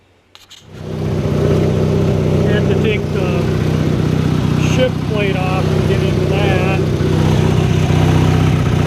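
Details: 1983 Sears Craftsman GTV/16 garden tractor, opposed-twin 16 hp Briggs & Stratton, after replacing idler pulleys and drive belts: steady engine drone and smooth drive hum, no squeal, slap or grinding; running normally.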